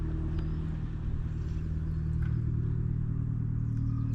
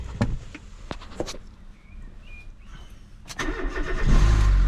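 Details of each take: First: Fiat 500 idling, heard from four or five metres away: steady deep drone with heavy low rumble, louder than stock, coming from the middle exhaust section; loud middle exhaust section. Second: Fiat 500 after alternator and auxiliary belt replacement: a few clicks, short crank, then smooth steady idle with no belt squeal; belt stays in place.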